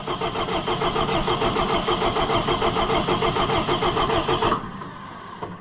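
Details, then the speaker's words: Allis Chalmers 175 diesel tractor, cold, after reassembly with fuel system opened: starter churns steadily, about three compressions a second, for over four seconds without firing; no start from air in the fuel. "It's gonna take some cranking. There's air in it. Air in it and it's cold."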